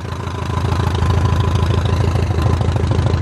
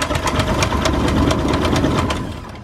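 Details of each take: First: 2006 Zodiac 601XL SLSA aircraft engine on first start after 8 years sitting, with a new battery; tach 770 rpm, oil pressure 46: strong, even low thrumming about three pulses a second, healthy normal idle. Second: 2006 Zodiac 601XL plane that sat 8 years, cranking fast on a strong battery but never firing; fuel pressure reads zero and the owner suspects the fuel pumps or clogged lines.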